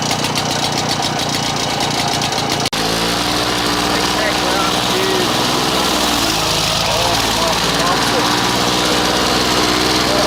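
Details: Old Victa Impulse Start Utility two-stroke mower, as found, mowing: a sharp, buzzy note that runs steadily and evenly while cutting, with no misses or knocks. Healthy running.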